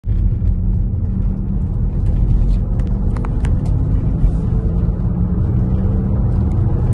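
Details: Tesla after a minor rear-end collision: deep, steady growl and hum beneath road noise while driving, rising and falling with speed, from a worn rear wheel bearing, suspected at the rear left; tire wear was not the cause.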